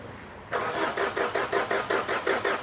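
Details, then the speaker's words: Maruti Swift diesel with oil consumption problem, heavy white smoke, will not start: starter clicks in and cranks in even pulses about four a second, engine never catches; slow cranking from weak starter and low battery. "ये आप देख सकते हैं गाड़ी की starting, गाड़ी start नहीं होती है।"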